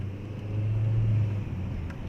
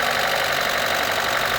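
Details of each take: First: 1997 Opel Vectra 2.0 16V at 304,000 km, on a test drive after head gasket work, pulling up a ramp. A steady low drone, smooth and unstrained with no knocks or misses: normal running under load. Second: 1997 Opel Vectra 2.0 16V just after head gasket replacement, fresh 10W-40 oil and new air filter, first start: fast, light top-end clatter as hydraulic lifters are still empty of oil, expected to quieten once filled.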